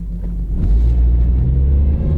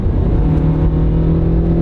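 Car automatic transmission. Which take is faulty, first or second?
first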